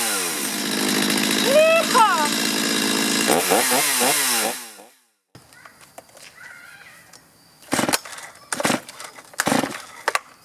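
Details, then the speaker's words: Chainsaw before carburetor adjustment: revs unevenly, stumbling and surging under throttle, then quits. Bogging, a possible sign of a poorly adjusted carburetor. "There we go. That's not good. These symptoms could be signs of a poorly adjusted carburetor."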